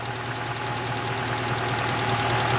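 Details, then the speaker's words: Wood-gasifier-fuelled truck engine after airflow fine-tuning, blower removed and plug refitted: steady, even idle with a smooth low beat and no misses or knocks; running cleanly on wood gas. "I've pulled the plug out or the fan out put the plug in it seems to be running all right"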